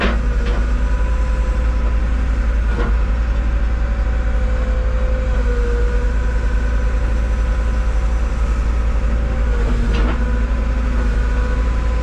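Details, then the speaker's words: Cat 313 GC forestry excavator, about 500 hours, at 45°F ambient; steady engine drone with a wavering whine and uneven pulsing; hydraulic pump sounds not quite smooth, possibly cold but shouldn't be; cause unclear. "sounds like yeah it does huh yeah it does it does sound got an awful not quite smooth with it could be cold but it ain't that cold you know what I mean"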